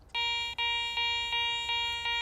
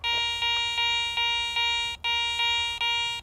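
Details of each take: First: Garrett ACE 400 metal detector (10 kHz) in jewelry mode with iron notched out: clean high-pitched beeps, about six in two seconds, as the coil sweeps a bottle cap; normal target response. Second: ACE 400 metal detector with the coil swept over a silver coin reading 75 or higher on target ID: a repeated high-pitched bell tone pulsing about once a second. This is the high-tone target signal.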